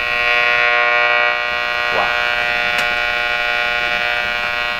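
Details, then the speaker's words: Wonderbar tube car radio with non-working vibrator, tubes powered from a shop high-voltage supply, antenna connected: loud steady buzzing tone with many overtones and a brief sweep while tuning; noisy output, cause not identified, radio otherwise works. "What's all that noise?"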